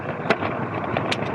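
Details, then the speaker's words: MicroGo M5 Pro electric scooter with a front motor, ridden over bumps and a manhole cover in a park: sharp clattering bursts at each bump over steady rolling noise. The rider thinks the loud sound is the shock absorber. "i think that that sort of loud sound is actually the shock absorber"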